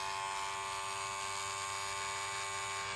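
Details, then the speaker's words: Wahl 108 hair clipper after reassembly with new lubrication and a lubricated blade: steady, even electric buzz, clean mid-pitched tone, no rattle or grinding; noise reduced versus before, running normally. "Diminui até o ruído, ó. E pode ser que aqui vai até cortar melhor, tá?"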